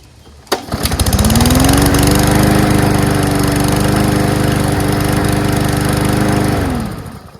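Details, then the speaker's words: Salvaged auto-choke lawnmower: pulls over and catches at once, then holds a smooth, even buzz with no misses before shutting down; it runs perfectly. "this sounds perfect who just throws a perfectly working lawnmower out"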